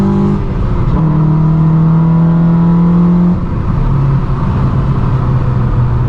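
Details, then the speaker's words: Normal induction noise on a 9th-gen Honda Civic Si just after an Acuity cold air intake install: steady, deep intake roar that drops as revs ease off, healthy sound. "i can hear it sucking in the air"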